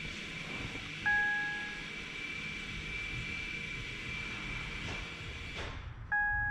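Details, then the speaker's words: 2016 Jeep Renegade rear brake job: scan tool activates electronic parking brake maintenance mode; two brief electric whirs as the rear caliper motors retract, procedure completed successfully, normal operation. "hear that, but that was the rear calipers going into maintenance mode. Procedure completed successfully."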